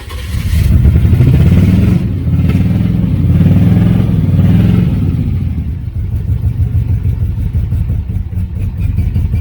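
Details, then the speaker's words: 1983 Oldsmobile 98 with 350 diesel, fire-damaged: revs hard and lumpy then drops to a choppy, uneven idle with a rough pulse; owner suspects a failed head gasket, engine to be replaced. "Yeah, it might be head gasket. Yeah. Head gasket went."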